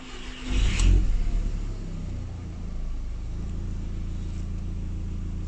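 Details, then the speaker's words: Audi TT that struggled to start and idled roughly, after replacing the G40 cam position sensor: quick crank, catches at once, flares and settles to a steady, even idle with no stumble. Clean normal start. "find the key give her a start and see what she does woo that was a good"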